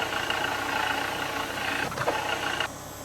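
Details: Petrol engine idling with rough gritty whirring rumble from the auxiliary belt drive, diagnosed with automotive stethoscope or screwdriver as a noisy AUX belt tensioner bearing needing replacement.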